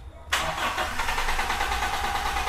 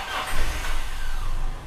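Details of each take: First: Toyota Kijang with an unclamped intake hose that came off, leaving the intake open. Cranks, catches about two seconds, then dies; a battery replacement didn't help and reattaching the hose lets it start: hard start and stalling from a vacuum leak. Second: Toyota Kijang that kept stalling and failing to start because an intake hose was only pushed on without a clamp: with the hose refitted, engine fires straight away and settles into a smooth low hum; normal start.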